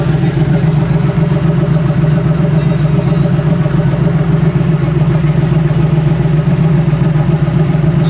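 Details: Turbo Chevy Nova all-roller V8 on 15W40 Rotella oil with new MSD ignition, timing erratic and advancing from a 26-degree setting: deep, steady idle with an even lumpy beat near 220 a minute, no misses or knocks. Runs healthy.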